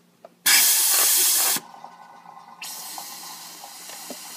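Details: Ford 6.0 Powerstroke diesel, no start when hot, high IPR duty cycle: valve covers off and air injected into the high-pressure oil system, a sharp blast then a steady faint hiss from a leaking injector seal.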